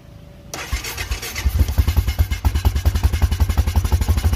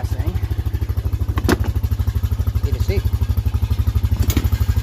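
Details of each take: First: Honda Foreman four-wheeler that won't stay running, key on, hand held over the carb intake as a clog test: cranks, catches, then runs ragged and lumpy, spitting fuel back through the carburettor; owner suspects too rich or carb problem. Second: Honda Foreman ATV that wouldn't start or stay running, after carb cleaning and rebuild (battery possibly weak): quick regular single-cylinder putter about three beats a second, steady idle without stumbling; normal idle.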